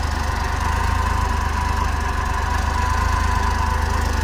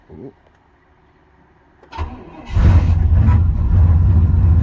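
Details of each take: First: Cold idle at about -12° after a cold start: a fast, puffing tick about four times a second under the low rumble. Owner sees and hears an exhaust leak. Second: 93 GMC cold start at about -12°: a short crank, then it catches cleanly and settles into a strong, even idle. A healthy cold start.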